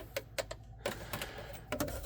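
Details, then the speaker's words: 1978 VW Super Beetle, battery at 12.73 V, about to test charging: several sharp irregular clicks on turning the key with no cranking or catching; intermittent no-start, owner suspects a bad ignition switch, unconfirmed. "I think it's got a bad ignition switch."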